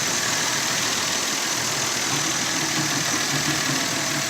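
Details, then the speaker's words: 2004 Nissan Pathfinder, 25,372 miles, after a knocking repair: idles with a steady, even hiss and hum, with no knocking or ticking; runs quiet. "start it up no noise this baby is running porn like a kitten no noise or anything"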